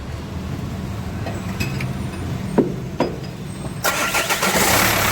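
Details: Renault Master 2 diesel after replacing the timing belt kit whose automatic tensioner had failed: low steady rumble rising to a louder even run with no knocks or rattles, normal running.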